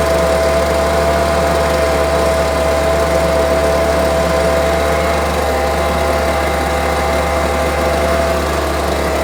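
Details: Homelite UT08572 string trimmer, small two-stroke, tested outside after repairs and a spark check: steady, even buzz without surging or stumbling, running firmly. Owner will check whether an earlier "tink" noise is gone. Normal running.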